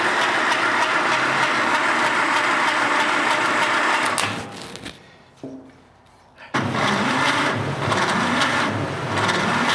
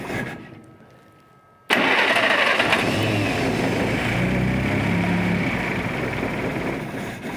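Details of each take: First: 1947 Willys CJ-2A, not run in 30 years, cranking during a compression test after oil soaking: labored, sluggish starter at roughly three compression beats a second; slow cranking because it is fed from a 12 V battery through 8-gauge jumper cables. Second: 1947 Willys CJ-2A engine, unrun for 30 years, after soaking low-compression cylinders in Mystery Oil: quiet, then starter catches and settles straight into steady, even idle with no knocks or misses.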